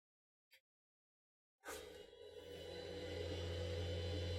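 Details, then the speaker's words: 3D printer powered on during maintenance, before cleaning: silence then a steady loud whir with low hum underneath; cooling fans pretty loud, control box to be cleaned out later. "now that's pretty loud so we're gonna have to go into the control box a little bit later and clean some things out there"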